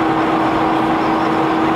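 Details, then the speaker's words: Toyota HDJ81 at highway speed around 55 mph: steady mid-pitched howl over road rumble that sounds like tires but is wind noise from the non-aerodynamic roof rack. "It sounds like it's my tires, but it's not. It's the roof rack. It's kind of crazy at the noise it produces, but again, it's not very aerodynamic."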